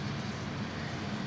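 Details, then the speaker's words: Newly installed fan running, connected into a restricting tube: steady even rushing drone with low hum, no speed change; noisy fan, possibly from restricted airflow into the tube, unconfirmed. "it's noisy it's noisy the hell is that I hear it"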